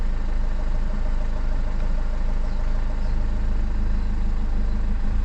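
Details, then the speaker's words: 2007 BMW 520d E60 with the M47 diesel: heavy, slightly uneven low throb at rough idle. It sometimes stalls by itself and accelerates hard; a boost pressure sensor code was logged, and the EGR valve is suspected. "the symptoms. It's starting and it's sometimes the engine it dies by itself. It's accelerating very hard sometimes."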